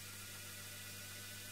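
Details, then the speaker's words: DC series-wound motor test rig with regenerative braking via pot at low rpm: faint steady high-pitched PWM whine over motor whir, changing as braking is backed off; normal controller tone. "can hear the pwn toned and as I back off goes up again"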